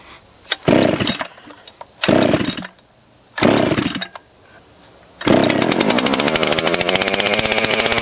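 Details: Husqvarna 281/288 chainsaw revival, first run after starting on the first pull. A few revving bursts, then it holds a fast, even buzz and won't return to idle: the half throttle is sticking. Adjustment and parts including clutch and hub are needed.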